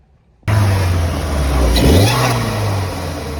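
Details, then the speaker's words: Renault Clio turbo track car, bigger Sytec fuel pump, custom 2-inch boost pipes, 3-inch exhaust from downpipe: heavy drone on partial throttle with a loud thin steady whistle like a boost leak, but leak testing found none; turbo later failed, blocking mapping. "It is making a bit of a funny sound on partial throttle though. It's like a really loud whistle like a boost leak, but boost leak testers come up with nothing. So hopefully the turbo's not on its way out."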